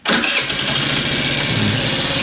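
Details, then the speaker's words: Scooter sitting for years, first start: catches at once, fast sharp ticking over a thin high idle, bad valve noise; owner says it needed a valve adjustment, exhaust smoky, burning oil. Valve train noise. "Oh yeah, as I suspected, it needed a valve adjustment pretty bad. Listen to that. That's some pretty bad valve noise there."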